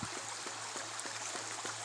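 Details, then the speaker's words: Ram pump with a 10-foot standpipe about 35 feet upstream, 1-inch supply pipe converted to 2-inch: soft rhythmic glugging thumps about 2.5 per second over running water, faster than the recommended once per second, but pumping well. "So it's operating a little fast according to Seth Johnson. He said you want about that relief valve to open once per second. I'm about 2.5 times per second."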